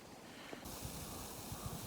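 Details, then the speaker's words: Maple sap tubing line under vacuum from the pump, heard while walking the line on snowshoes in snow. A faint, steady airy hiss under crunching footsteps reveals a small vacuum leak that hurts pump vacuum; it was repaired with a union. "puis on tend l'oreille puis on est attentif avec la pompe qui tire on entend bien les petites fuites"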